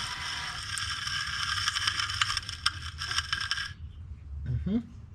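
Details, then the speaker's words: 2011 Chevy Cruze wheel hub spun freely with the wheel off: gritty, crunchy grinding with small ticks that fades as it stops. The wheel bearing is worn, with rust and debris inside the dust cap. "Oh, that's so crunchy. Oh, it's so crunchy. You hear that? That's rust and debris inside of that dust cap."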